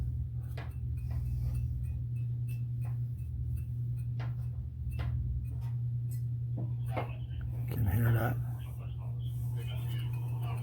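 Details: Hunter ceiling fan that has squeaked for three years, partly disassembled: sharp light ticks about twice a second over a steady motor hum, a fan blade striking an internal wire. Owner also suspects the bearing where it rides on the top shaft.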